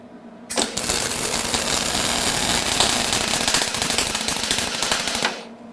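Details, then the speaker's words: HTP MIG 130 welder arcing with wire speed set way too fast: harsh, uneven crackling with loud pops, big balls of weld on the wire end, spatter everywhere and bad penetration. "that popping the wire speeds way too fast and you can see what it does here we got Big Balls of weld on the end of our wire we've got spatter all over the place"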